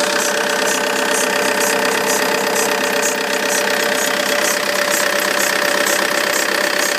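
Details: Vauxhall Insignia 2.0 CDTI diesel (2009, 59 plate) at cold-start idle: fast, even chattering rattle from the alternator side that goes away once warm; belt, pulley or tensioner suspected.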